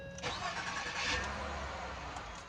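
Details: Ford Fusion after a starter replacement: quick crank, then the engine fires straight away and settles to a steady idle; normal start, though it still smells rich, owner suspects a leaking injector, no smoke seen.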